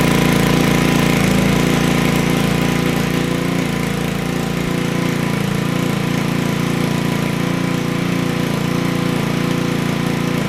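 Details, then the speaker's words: Honda Ruckus GY6 scooter with starting problems, after adjusting the idle: starts at once and settles into a steady, regular putter at idle with no stumbling. "So that seems like it did it. You see how I hit it and it boom turned on."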